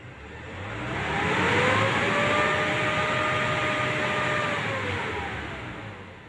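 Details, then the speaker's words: Hot Nissan Navara diesel held at 2000 rpm, running smooth and even after the EGR passage was blocked with a steel plate. Rough, smoky running when hot was caused by the EGR valve staying open. "dengarkan bersama-sama pada putaran 2000 suara mesin tetap halus"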